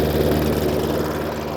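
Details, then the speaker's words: Hayter Ranger 53 rotary mower saved from the dump, at full throttle: steady but slow drone, tachometer about 2,200–2,250 rpm, far below normal; governor/throttle linkage holding revs down. "so as you can see the machine runs cools down not enough what's that actually running at I've got my taco meter here 2-2 220 250. somewhere in there there's nowhere near right"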